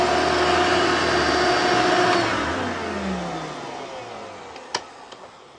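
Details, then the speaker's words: 1990s-era vacuum cleaner on worn carpet: steady motor whine sags and drops in pitch as it slows under load, a wow-wow bogging sound; owner suspects it needs a new belt. "It might also need a new belt, because I could hear it bogging down. It's like wow, wow, wow."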